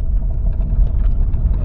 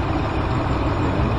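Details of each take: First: 2014 Dodge Ram with a P0207 cylinder misfire and rough running on dirt roads, on a dirt-road test drive after repair: steady deep rumble with no stumble or miss; seems fixed, normal running. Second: 2014 Dodge Ram V8 idle, P0207 misfire: low steady rumble with faint uneven shake; cylinder 7 misfiring while cylinder 5 fine, logic probe shows current but no injector pulse on cylinder 7 circuit.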